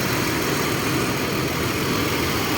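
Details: Ford Explorer that cranked but wouldn't start, fixed by fuel pump/tank repair and refuelled; now holds steady even idle with no misses, surges or stumbles; normal idle.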